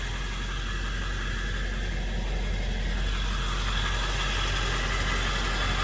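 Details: 1999 Ford F-350 Lariat Super Duty 4x4 with the 7.3 L Power Stroke diesel and 46,385 original miles: a deep, steady rumble at an even low idle with no knocks or stumbles. Normal healthy idle.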